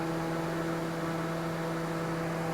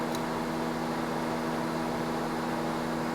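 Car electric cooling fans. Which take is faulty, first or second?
first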